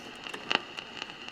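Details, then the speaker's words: General Electric mid-1960s vacuum-tube AM/FM table radio: irregular sharp pops and crackles over a faint steady tone, coming and going. The noise is now on FM too, clean at first and then starting up. Cause unknown; the set is possibly a write-off. "just unfortunately I'm getting that noise on FM as well it was pretty clean at first and then it's starting up"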